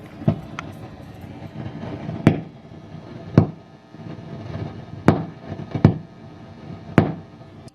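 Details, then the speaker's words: Matamp GT120 tube amp, nothing plugged in: sharp random pops and crackles about once a second over quiet hiss, started after minutes quiet; failing first-stage preamp tubes, fried by too-hot send from a digital modeler into the input. "the amp is dead quiet a few minutes ago and then this noise just started here yeah whoa did you hear that pop here it's back again that's back again"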